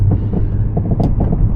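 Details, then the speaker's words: Car that was tight before being lent out and driven hard, recorded while driving: low droning hum with a steady throb from the front end. Howling noise from the front, source not yet identified. "it sounds absolutely howling now. This car was tight and all up together before. How hard he's been driving, but it's making an awful noise from the front."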